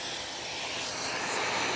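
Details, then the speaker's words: Bissell Powerforce Helix Turbo Rewind 1797 vacuum after clearing a sticky chunk and paper from the path: strong steady hiss into the intake, even with no whistle or choking; nearly full, normal suction airflow. "we have struck nearly full air flow and I use that term loosely so yeah we're we're in good shape"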